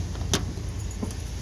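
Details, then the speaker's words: 1988 Chevrolet S-10 pickup, an old work truck, starting right on the key. The V6 idles with a low, steady rumble and an even beat, with no knocks or misses; it runs smooth as silk. "It's fired up. Runs smooth as silk. You can set your wine glass right there."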